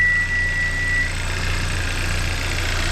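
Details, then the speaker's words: 2014 Hyundai Santa Fe turbo at idle, hood open, codes cleared: smooth steady idle with light quick ticking from the high-pressure fuel pump, which owner says all sound like that. Normal high-pressure fuel pump tick. "says, oh, that tick is the engine. No, it's not. That's the high pressure fuel pump. And they all sound like that."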